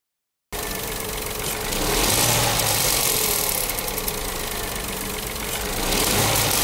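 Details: Renault/Dacia TCe 1.0 (H4D) engine after injection ECU reprogramming: the metallic ratchet-like rattle of the loose turbo wastegate rod, previously over idle and rising with revs, is greatly reduced and almost gone.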